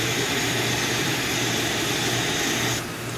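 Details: Coleman single-burner stove, one lever for flame control: smooth, even hissing roar with no sputter or pulsing, going softer as it's turned down; burner running clean and healthy.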